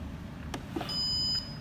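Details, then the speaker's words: IDES One Touch Barista capsule coffee machine with the used-capsule compartment removed: a steady high electronic beep of about half a second warns that the compartment is open so brewing is blocked and no capsule jams; it stops quickly. "as you can see, once you remove the compartment, it does this sound, just to make sure before you make any coffee, the thing won't, the capsule won't get stuck. But the beeping sound will stop very fast."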